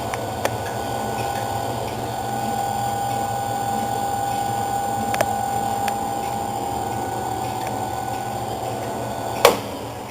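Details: ABS spiral mixer started from the start button: a quiet, even motor hum with a steady mid-pitched tone and no knocks or grinding. It runs smoothly; normal running.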